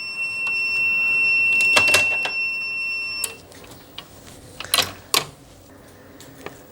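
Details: APC SRT 5kVA UPS on 247 V input, fault P.16, event code 125 (negative DC bus soft start). A continuous high-pitched alarm holds about three seconds, then stops with a few clicks. Positive soft start voltage is present at D1302; the negative never reaches D1309 after rectifier D1206.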